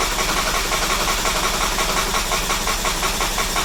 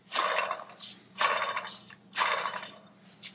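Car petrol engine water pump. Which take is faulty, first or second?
second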